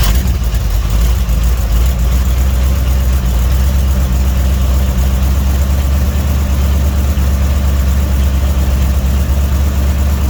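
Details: Budget-built Dodge 318 V8 after cam and lifter inspection, warm at 175–180°F with 60 psi oil pressure: deep steady burble with even firing beat, no knocks or ticks; healthy smooth idle.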